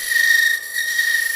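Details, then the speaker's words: Woodturning a spin top box on the lathe with a 3/8 bowl gouge hollowing end grain: loud, steady, piercing high-pitched buzz of tool chatter. "So you can hear that chatter, that really loud noise. That's what I was trying to save you from uh without, you know, coming back to the lip later, right?"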